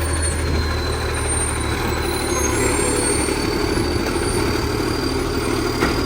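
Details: West Torrens garbage truck 2013, diesel idling: raspy puffing chuff over the low rumble, a big exhaust leak.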